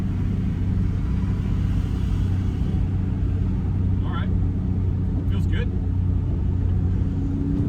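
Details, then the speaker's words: 1990 BMW E34 M5, stock S38 inline six, stock exhaust, after fixing a low-rpm misfire, oil not fully warm: accelerating through second gear to 4,000-5,500 rpm gives a steady, even drone with no stumble or popping, pulling smoothly. "car does sound good I love this I love this engine it's a stock exhaust stock s38"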